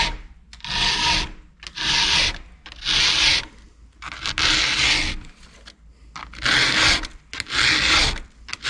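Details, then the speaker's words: File sharpening a Husqvarna chainsaw chain tooth: steady rasping strokes about once a second, each an even grind all the way across with little force needed. A sharp file biting cleanly. "and you notice how smooth that sounds how it's got that grind sound all the way across that's that's a good sharp file you see i'm not really having to put a lot of force against the file that way it's kind of digging in on its own just because it's good and sharp"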